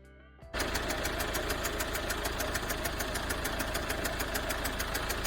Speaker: customer States vehicle makes strange noise sometimes while driving